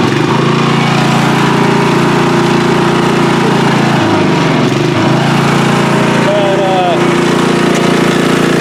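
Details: Free riding mower, tank previously drained, running after flood-prone start attempts with fuel clamped off to stop flooding: steady single-cylinder drone dipping briefly and recovering cleanly; runs evenly and sounds healthy.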